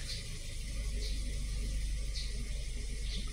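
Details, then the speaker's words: Toyota Avanza/Daihatsu Xenia after clearing engine-light codes, coolant 78°C, 700 rpm, no misfire on scanner: steady even low idle rumble with no stumbles, skips or knocks; normal idle. "Miss fire tidak ada RPM sudah di angka 700 ya"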